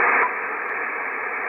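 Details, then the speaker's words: Icom IC-7300, no antenna, audio at maximum, preamp off: steady hiss drops noticeably after a quarter second and stays lower when IP+ is disabled; IP+ was adding internally generated receiver noise. "you see the noise goes down again so the IP plus is causing lots of noise here internally generated in the receiver"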